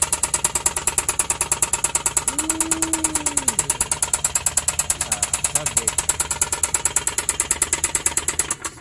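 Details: Suzuki K6A engine: sharp, regular metallic knocking about three times a second over idle; found to be a damaged cylinder liner and broken piston.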